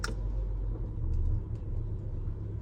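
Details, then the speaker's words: 2019 Ram Promaster City at idle in reverse: low, heavy droning rumble and loud vibration from a bad rear lower engine mount; quiet in park and neutral, loudest in drive, engine jerks back and forth. "So every time I shift it into gear, now I don't know if you guys can hear it, but the vibration is very loud."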